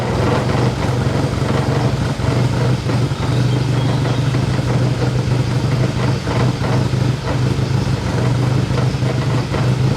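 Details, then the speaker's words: BMW E30 with a K24 engine swap, first start, idling: uneven, shaky idle with a lumpy low beat and occasional stumbles, like a misfire; injectors to be replaced, cause not confirmed; rough idle with misfire. "Idling, again, not very well. You can hear, kind of sounds like a misfire. The engine is for sure a little bit shaky, but it is running."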